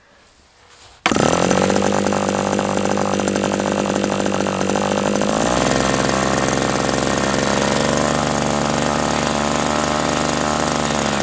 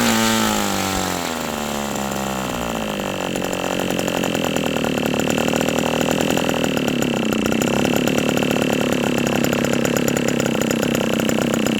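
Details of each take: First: OS 120 AX model engine, hand-started on a test stand during a break-in run at about 63°F: catches at once and settles into a high, steady buzz, with one pitch step; normal run. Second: OS 120 AX model engine on first break-in runs: high steady scream after a falling sweep, unsettled at lower speed; still breaking in, so the low-speed needle won't set yet.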